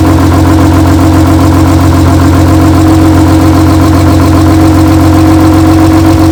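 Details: BMW E36 race car's rebuilt M52B28 inline-six at its first start after the rebuild, fired after small wiring fixes: smooth steady idle with an even firing beat, no knocks or misfires; normal idle.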